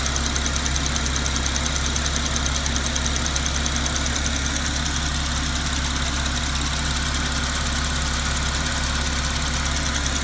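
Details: 2010 Porsche Cayman S 987.2 DFI: steady petrol idle with fast, even ticking about two ticks a second over the hum; owner asks whether normal and which engine part it comes from; cause unknown.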